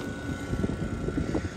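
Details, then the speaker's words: 1988 BMW 325i A/C system at zero refrigerant, vacuum pump just opened to the high and low sides and starting to pull vacuum: a steady, even motor drone with a faint constant high tone and no surging; normal operation. "so let's open the vacuum one two three there we go the vacuum pump is open we are now drawing a vacuum"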